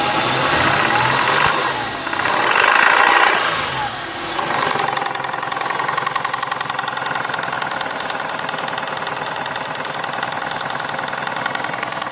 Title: St220 3.0 v6 24v engine has a knocking noise